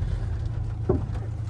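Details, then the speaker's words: Volkswagen front end with Solo-Werks S1 coilovers, new strut mounts, bearings, end links and springs, two sharp pops under hard braking while driving in rain; later found wrong spring rates with coils binding and wearing: front suspension pop from coil spring binding. "Now, this will probably do it because, oh well, yeah, there was a big pop because I hit the brakes hard. Oh, and I got another pop."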